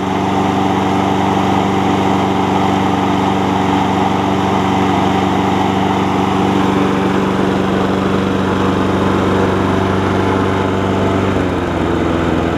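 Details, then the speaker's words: John Deere JA60 push mower after freeing stuck valve (no compression before), pull rope sorted and original carburetor re-jetted: steady even single-cylinder note, faintest stumble remaining; normal running. "Just for reference, this is the original carburetor back on it with a different jet. You can hear it still has the tiniest stumble."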